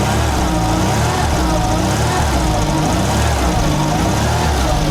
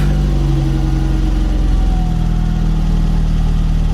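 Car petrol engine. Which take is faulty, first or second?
second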